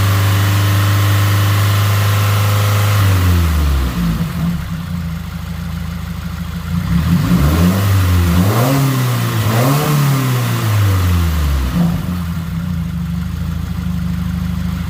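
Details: Subaru WRX 2.0 engine first start after replacing all valve shims, warming to open the thermostat and bleed the cooling system: even idle and smooth revs with no valve ticking.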